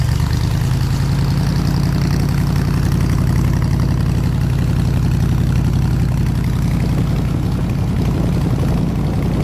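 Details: 302 V8 powering an air compressor, new plug wires fitted, warm at 160 degrees, fuel pressure about 9 psi: cranks, catches and settles into a steady, even low rumble with no misfire or knock; normal idle.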